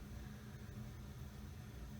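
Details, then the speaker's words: Mistral Mistralaire ceiling fan, probably early 1980s, spinning down: steady low motor hum and soft air rush, bearings inaudible, no rumble or ticks; running healthy. "the sound of the air and a little bit of hum from the motor nice long spin"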